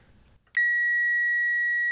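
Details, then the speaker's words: Power Probe circuit tester hooked to power and ground gives one loud, steady, high-pitched beep while supplying power to a circuit, so you know what you're testing, e.g. relays or a blower motor. "that's giving it power i know that's kind of loud but it's so you know when you're testing it what you're doing"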